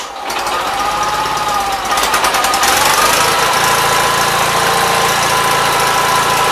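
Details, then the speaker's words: 1976 Gravely 816 tractor, single-cylinder engine, after first fixes (head bolts pulled, spark plug suspected fouled, missing fuse and jammed wire in fuse holder found): rough first second, then settles into an even, steady thump with muffler fitted; running normally. "all right that was pretty good so you have to clean the car before this is done but it's working"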